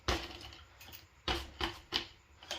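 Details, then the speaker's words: G-Force S41 folding e-bike (48V 10.4Ah battery) after fixing battery rattle with liner and mounting tape under the loose battery: shaken bike gives only a few light dry ticks, nothing loose inside. "so it's good as you can hear as well it's got really nice nothing inside shaking so it's good"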